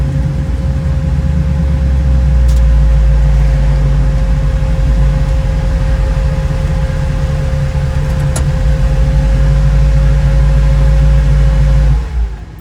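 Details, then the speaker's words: 1936 Chevy coupe, SBC 350 V8, TH350 automatic, in third at maintained speed: loud steady high-revving drone, engine turning too fast at cruise; owner suspects a gearbox problem, unconfirmed. "but let's face it you can tell you can hear it's going into third but it seems to be revving really high so either there's something wrong with the gearbox"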